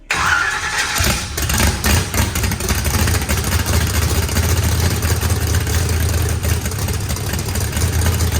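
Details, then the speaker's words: Freshly built turbocharged 409ci small-block Chevy V8 fires within a second and settles into a loud, choppy but steady idle with no knocking; good oil and fuel pressure, fuel pressure adjusted, some oil from the turbo drain. "It cranked up, runs fine. Look at all, it's milking like crazy. Sounds good. Motor sounds pretty rowdy."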